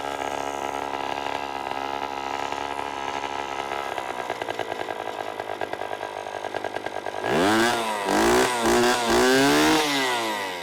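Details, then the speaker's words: Antique garage-sale outboard, started once fuel valve turned on: steady buzzy two-stroke drone with quick throttle blips climbing and falling cleanly; runs normally. "stupid outboard starts and runs absolutely perfectly"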